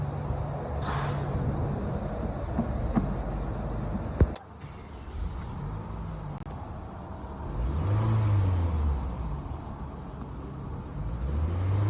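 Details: 2011 Toyota Camry petrol engine: runs with an uneven, stumbling pulse, a misfire caused by an ignition coil wiring problem.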